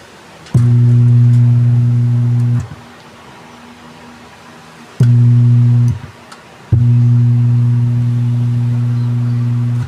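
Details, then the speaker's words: Konzert subwoofer with no audio: after a sudden burning smell, a loud, deep, steady hum comes and goes in bursts of a few seconds with no program sound. "So kung narinig niyo mga boss yun bale ang problema nitong suboper lang masyadong rinig dito sa ating video pero kung gamit kayong headset maririnig niyo ang ugong nitong sabopia."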